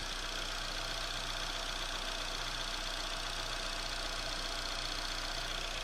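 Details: Astra, cold engine just started: fast, somewhat uneven tick-knock about four per second over a steady idle note; strange cold-start engine noise, source unknown.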